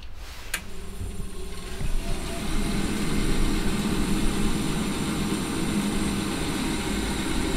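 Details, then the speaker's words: Very old heat-only regular boiler, no heat since the customer changed a radiator valve: fan spins up to a steady hum and keeps whirring with a click but never lights; suspected faulty switch or blocked fan venturi. "basically this boiler isn't firing because either that's faulty or this Venture is blocked in that fan which is stopping a"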